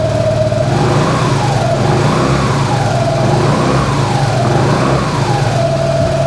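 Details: 2017 Suzuki Burgman 200 scooter, 196 miles: starts and settles into a steady, even low hum with no knocks or rattles; smooth, healthy idle.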